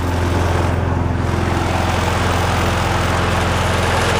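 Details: Viking petrol lawnmower, a part exchange with a suspected bent crankshaft, running on a relatively new plug with automatic choke: steady, even low hum with a regular pulse and no knocks or misses. The engine runs normally.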